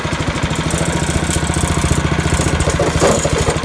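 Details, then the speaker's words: YardWorks 22-inch 179cc snow thrower, found discarded, throwing snow at full throttle after auger belt replacement: steady even single-cylinder chug, no misses or rattles; running healthy. "See what happens if you don't over tighten everything? Works out perfectly fine."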